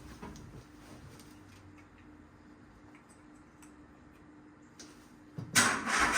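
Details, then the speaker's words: Peugeot 107, started indoors using a jump pack after locksmith work on the ignition barrel: quiet lead-in, then catches at once into a smooth, even run without knocks; normal start, no issues heard. "so there we go the car is [Applause] running ticking over lovely actually don't hear no problems no issues"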